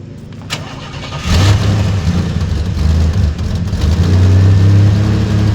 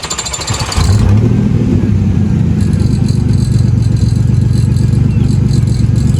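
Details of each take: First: Third-gen Firebird: a quick start that settles into a smooth, even low rumble with no ticking or puffing. No exhaust leak is heard. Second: 3rd gen Pontiac Firebird: loud, raw, blatty exhaust that rasps and chuffs as revs rise; exhaust leak.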